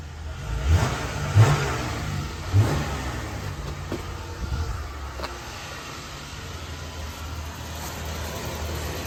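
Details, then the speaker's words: Dodge Ram 1500 that broke down, check engine light on, throttle blips: rise and fall smoothly with no stumble or skip, motor not shaking; no misfire audible, owner suspects fuel filter, not confirmed. "the truck sounds good motor not shaking I don't even hear a miscar enough for me to even check the core"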